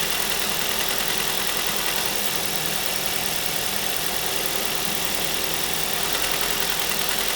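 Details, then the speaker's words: 2005 Ford Mondeo LX petrol engine idling while warming up: light quick clicking rattle of about three a second over the hum from rattling swirl flaps; clicking stops when a part is removed. "A real common problem with these engines is the swirl flaps, and you can hear on this one the swirl flaps are actually rattling. If I take this off, you'll hear the clicking go away."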